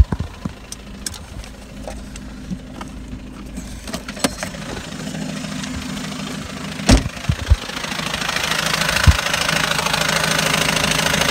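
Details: 2010 VW Golf TDI diesel near 100K miles, Malone Stage 2 tune, full exhaust, VWR intake, parked at idle: sharp irregular popping-clacking about two a second, busier as revs rise, felt through clutch pedal, rev dependent, started 1-3 days ago; source unknown.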